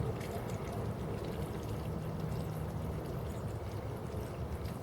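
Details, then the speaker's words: Fluval 306 canister filter after priming-system teardown and fix, pump running primed: soft steady watery hum with gentle trickling, no rattle or gurgling surges; pump calmed down, bubbles expected to clear quickly; normal running. "you can hear that the pump calm down a lot I'm at this point you always want to visually inspect to look for any leaks or any problems in general"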